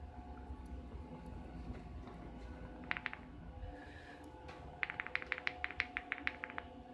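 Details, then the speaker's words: Desoldered electrolytic capacitor from Topward 6306D lab power supply being repaired, shaken on a quiet bench: bursts of light dry ticking, about three per second; loose internal part rattling inside. "don't think it's supposed to make that sound. I guess I could try another capacitor."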